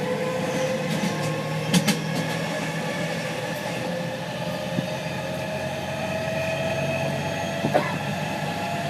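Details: JR West 207 series 1000 T17, recorded aboard KuMoHa 207-1037 (Toshiba GTO inverter), Tokuan–Kōnoike-shinden, iPhone 5s, steady running: layered whining tones drift and beat in a warble, as the Nishi-Akashi/Shin-Sanda-side inverter modulation is out of step with the Kyoto/Kizu side.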